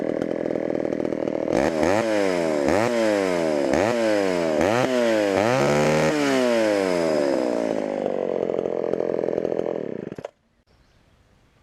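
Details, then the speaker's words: Homelite Super XL chainsaw, bought at auction: screams at high revs, then pitch sags in repeated dips under load while cutting; slow cutting, chain probably needs sharpening. "probably needs sharpened"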